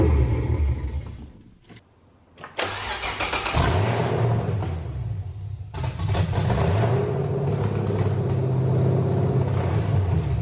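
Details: BMW E46 LS3 V8 swap first start, fuel primed: short crank then fires into a loud deep lumpy rumble settling to a steady idle; healthy start after an earlier cut-off.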